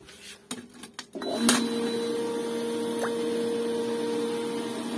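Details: Pool pump with sand filter after purging sucked-in air and backwashing: after a few clicks it starts and settles into a steady, even hum; pressure gauge no longer jumping.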